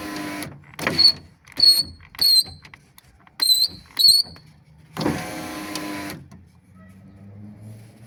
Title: #Субару Легаси свист стеклоподъёмника#Subaru Legacy window lift whistle